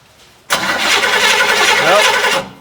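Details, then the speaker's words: Barn-find 1967 Chevy El Camino, L34 396 big block, sat nearly 21 years: the starter whirs about two seconds and the engine never fires. There is still no spark after checking the ground; a crank-no-start. "got no spark i'm gonna tighten up the gap a little bit here"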